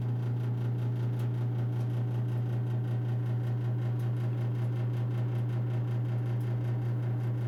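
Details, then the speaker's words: Old gas heater in a bedroom: steady low even hum at one pitch with no knocks or surges; heater hums, cause unknown. "and if you can hear that little hum yeah oh this is three feet from my bed every night"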